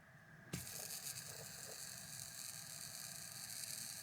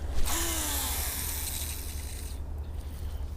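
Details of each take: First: Ceramic hybrid bearing for restoring a mid-1990s Shimano Curado Bantam CU 201 baitcaster, flicked by hand: steady, even hiss-like whir with no clicks or roughness; spins nice and free, slightly louder than oiled or greased bearings. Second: Mid-1990s Shimano Curado Bantam CU 201 baitcaster, cast with one brake on after cleaning and lubing: dry, hissing spool whir for about two seconds fading as it slows; bird-nested but less noisy than the first cast before restoration.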